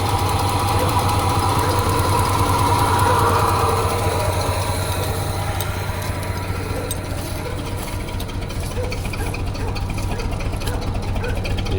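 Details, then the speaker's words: Ford F250 with a 302 V8, first running after about 12 years on old gas, possibly with water in it. Rough, lumpy, stumbling idle; at least two cylinders are misfiring on one bank, perhaps four in total. "I definitely can hear misfiring on this side at least on two"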